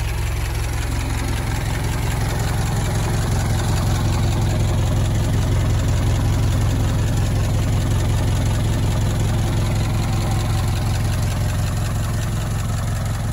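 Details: Barn-find Ford Model T farm truck, first start in many years after simple repairs: low steady putter with even firing pulses, no knocks or stumbles; normal idle.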